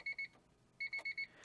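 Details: 1992 Honda Accord wagon 5-speed revived after five years sitting: high-pitched warning chime beeps in a pair then a run of four, sounding continuously when it shouldn't, battery-draining fault tied to ignition cylinder/key; cause unconfirmed.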